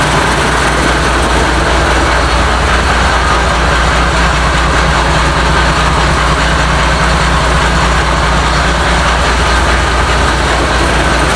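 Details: International DT466 diesel for a 1966 Ford F250, first start after fuel priming, open exhaust: loud, deep, even idle rumble, steady beat with no knocking or missing; oil pressure not yet gauged; normal idle.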